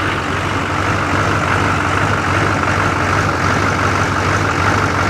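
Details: Engine idling steadily after being jump-started with an Autogen 4500A portable jump box once the fuel pump was primed and the box's overload protection was reset: steady, low, even clatter with no stumbling or misses, a normal idle.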